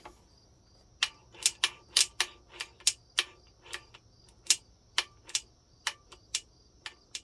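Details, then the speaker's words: Suzuki TC120 engine with gear shifting problem, kickstarter spun with engine not running: sharp uneven metallic clicks about twice a second, suspected slipping gear teeth; metal found in the oil. "I can't imagine it should be sounding like that. Sounds like some teeth are slipping."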